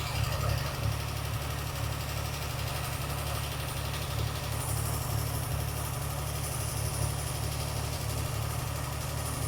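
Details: Car after carburettor rebuild, running better at idle: light rapid tapping at about four a second, coming and going; suspected top-end engine knock, possible internal damage.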